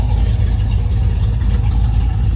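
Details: Box Chevy V8 after cam install, with longer pushrods fitted to cure an earlier pushrod noise: deep, even rumble with a steady lope and no top-end tapping; the valvetrain sounds quiet and healthy.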